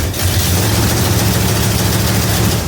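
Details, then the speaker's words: Rebuilt 1974 318 V8 with 273 heads, Edelbrock intake, Holley 750, in a 1971 Demon, cold start at 30°F: steady low idle rumble with faint fast puffing tick from header gaskets leaking, cheap kit gaskets. "I do have headers are leaking. I used those cheap gaskets that came in the kit."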